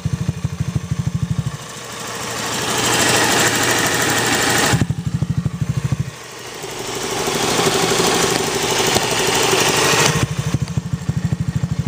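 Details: Honda Zoomer-X scooter engine idling with a light, regular clicking that rises in pitch when revved twice; valve tappet clicking at idle, calling for valve tappet adjustment.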